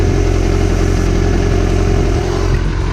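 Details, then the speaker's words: Yamaha R6 four-cylinder, warm at 216 degrees after a test ride with fan fuses removed: smooth, even, stable idle burble after a faulty ignition coil causing misfire was replaced. "basically the bike is running a mint well as you can see I took I took the two queues for the fan out so the temperature of the bike called a race as you can see right now it's at 216 degree the idol is pretty then stable"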